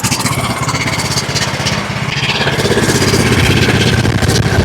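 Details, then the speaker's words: John Deere LA105 riding mower with 74 hours that ran only on choke, restarted after carburetor work: a single-cylinder thump, slow and slightly uneven. The idle is set too low and is then turned up until it runs smoothly. "You might be idle a little bit low. All right, let's fire it up again. idle down a little bit too low."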